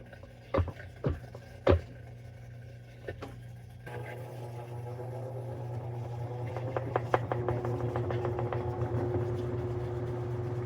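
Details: Older Maytag washer run with door open on rinse and spin: a few clicks, then a steady low pump hum running evenly; drain pump working normally.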